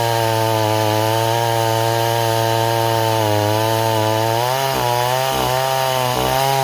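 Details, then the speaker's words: Stihl 026 chainsaw returned as a no-start, cutting in chilly weather: steady buzzing drone that repeatedly bogs and dips in pitch under cut, sluggish; rich mixture, rakers possibly filed too low. "let's see if that helps at all neighbors it was definitely running too too [Applause] [Music] [Applause] rich"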